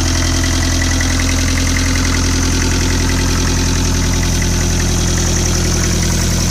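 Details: 1995 Land Rover Defender 110 with 2.5 naturally aspirated 12J diesel, first start after rebuild: steady, even diesel clatter at a settled idle with a regular low beat, no misses or knocks; normal idle.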